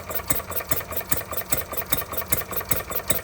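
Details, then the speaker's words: Stirling Kits Retrol G16 model stationary gas engine, first start after clearing a flooded plug: crisp, regular puffs about two and a half a second with no misses; running well, though the fuel pump isn't pumping yet, probably needs priming. "How about that? It's going lovely now."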